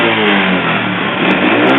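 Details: Motorcycle engine, mic placed near the engine: rough, raspy revving with a loose kletek-kletek metallic clatter and white smoke when revved; piston slap, confirmed as the piston.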